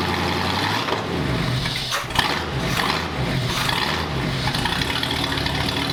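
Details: 1939 Ford hot rod V8 with Ford ram horn manifolds and a new custom true dual exhaust: quick catch on the starter, then a deep, throaty, even burble settling into a healthy steady idle.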